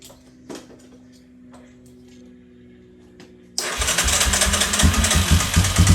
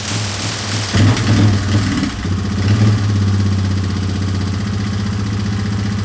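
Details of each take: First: 2003 Yamaha Wolverine quad after a pinched carb gasket leak, carb nearly dry: quiet clicks, then loud uneven starter churning, engine cranks but won't catch. Owner first thought it was out of gas; later found it won't run without a battery completing the circuit. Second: 2003 Yamaha Wolverine quad with fuel tank refitted and no longer leaking, checked before reassembly and a ride: a couple of quick blips, then a steady, even idle with clean firing and no stumbles; runs pretty good.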